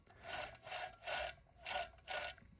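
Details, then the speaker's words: Hoover WindTunnel vacuum motor, removed from the machine, shaft turned by hand: a dry, gritty grinding rasp in five bursts from badly worn motor bearings, attributed to running without a bag; motor is finished. "Oh, you can even hear it. Man, that's bad. That's a lot of wear. And that's just from running it without a bag on it."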